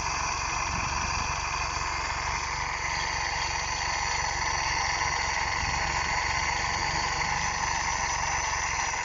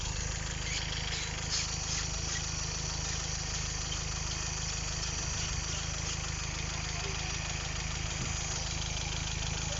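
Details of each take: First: GM engine: it overfuels and may have petrol in the oil; timing is correct and the cam type is unverified. It idles funny with the fan on; once the fan stops, the idle is steady, even and smooth. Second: Petrol GM engine with suspected non-standard cam, overfuelling, running very hot, petrol suspected in oil; idles roughly with lumpy, uneven beat and stumbles when the cooling fan kicks in, idling normally once the fan switches off; timing checked correct.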